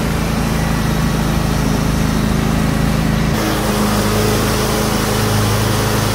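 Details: John Deere X320 riding mower, 48-inch deck, after deck belt replacement (M154958): even, steady engine drone with the deck spinning, slight tone shift midway, no slap or squeal; running properly.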